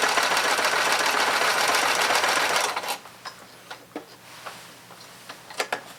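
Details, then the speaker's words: Thrift-store sewing machine fitted with a new foot pedal and cleaned but not yet oiled: about three seconds of smooth, even stitching, a normal good stitch, though the owner noted a noise they disliked. "So it runs, and it's actually a pretty good stitch."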